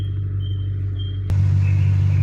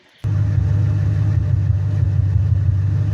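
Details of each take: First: 2000 Ford Mustang 4.6 V8, coil-per-cylinder, after resolving a no-code misfire found by cylinder contribution test: deep steady low rumble at the muffler with no pops or skips; normal exhaust note, firing evenly. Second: 2000 Ford Mustang 4.6 coil-per-cylinder, heard at the exhaust at idle: deep rumble with uneven lumpy pulse from one cylinder misfiring, persisting after tune-up with no codes stored.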